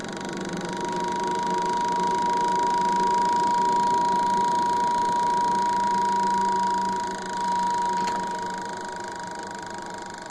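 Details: Wanke spin dryer that only hummed without spinning due to a burnt capacitor, after the new capacitor is connected: even motor hum with a steady mid-pitched whine as the drum spins, so it is running normally.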